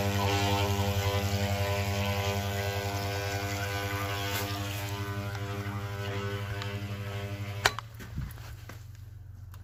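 A steady, buzzy low hum with an even pulse for several seconds, then it cuts out; the vibration pump is running normally.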